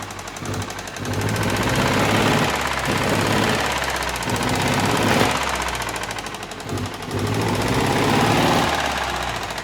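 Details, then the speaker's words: Steyr 650 tractor diesel, first start after over 20 years unused, out of gear, smoking heavily: loud, rapid tappet clatter over the diesel beat that speeds up when revved; excessive valve clearance, needs attention. "There we have it. We're up and running. Plenty of smoke though, plenty of smoke. And very tappity, very tappity."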